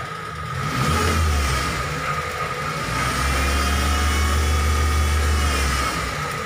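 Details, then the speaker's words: T120SS fuel-injected car: a sharp, flute-like whistle over the engine when revved. The oil pan, dented inward by an impact, presses on the oil pump pickup, which whistles as oil is drawn. "suaranya seperti suling Oke Bro jadi suaranya itu berasal dari bawah yaitu dari pancit poli ini yang penyok"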